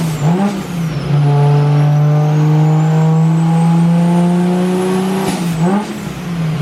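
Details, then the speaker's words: Nissan Skyline R32 sedan on the dyno being remote-tuned: a low, throaty, slightly blubbery drone from running rich at low rpm; the new manifold is suspected of spacing out the injectors and changing their spray pattern. "So at lower RPM, a little bit too much fuel. As you can hear, it's a little rich right now and he's just tweaking it and dialing it out."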